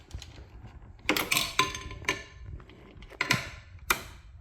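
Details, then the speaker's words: Triple-cylinder two-stroke turbo project on a Spartan 2.0 custom EFI, engine off: sharp irregular fuel pump relay clicks, about eight in five seconds, ECU not connecting; cause found to be a faulty fuel pump drawing too much current. "weird it was acting like it was connected must be a loose wire somewhere the fuel pump relay is clicking but it's uh not saying connected on the computer not sure why that is"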